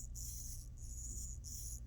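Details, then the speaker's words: 2004–2008 GM instrument cluster gauge stepper motor, needle swept by hand: faint high-pitched gear whirr in short bursts; gears turning means a good motor, silence means bad. "the gears moving inside so that's the good one and that's how you determine which ones are good which ones are bad if you don't hear gears then it's bad"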